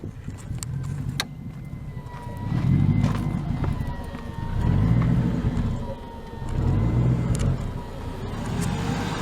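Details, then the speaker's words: Old Ford Crown Victoria V8, no check engine light, idling after a minute or two: idle drops too low and swells and sags about every two seconds before stalling; fixed by manually adjusting idle up at the throttle body. "once it runs for a minute or two though the idle is going to get so low it's going to start idling up and down and then it was a stall out it's doing it now"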